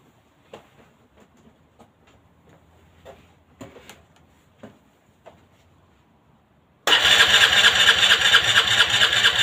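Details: Aprilia Leonardo 125 scooter after a long time unused: a few quiet clicks, then buzzing rapid starter churn that goes on without catching; prolonged cranking, no start.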